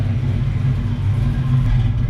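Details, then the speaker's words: 1978 Pontiac Firebird with a small-block V8 and small cam, replacing the big block after its cam went flat, idling with the exhaust newly fitted. A deep, steady rumble with a slight cam pulse and no knocks or ticks: normal idle. "So listen to that. Little cam sounds good in this thing."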